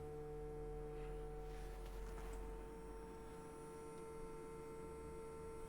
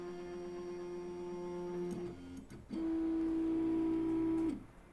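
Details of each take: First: Pirate3D Buccaneer 3D printer production sample, powered on after unboxing: steady electrical buzz with fixed mid-pitch tone over a low hum; source of buzzing undetermined. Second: Pirate3D Buccaneer 3D printer production sample on power-up: two runs of steady, high stepper whine with a short pause between. Axes home cleanly; an earlier buzzing noise of unknown source was noted.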